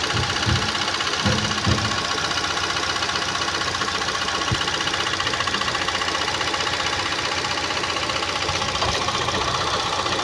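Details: Ford EcoSport showing a camshaft correlation code, and the camshaft needs retiming: uneven, rough idle with a busy metallic clatter at about four beats per second. Camshaft timing misalignment.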